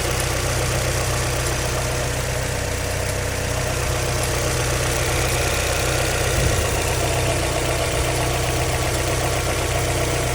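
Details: Mazda MX-5 NBFL 1.9 VVT idling: busy, fairly even clatter about four ticks a second over the hum; abnormal engine noise, cause unclear.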